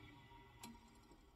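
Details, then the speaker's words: Rebuilt ILG Model 123 XQ explosion-proof fan motor with new bearings: very quiet, even hum, bearing noise gone; only a faint tick from the centrifugal switch rubbing its contacts. "no more bearing noise you probably faintly hear the centrifugal switch"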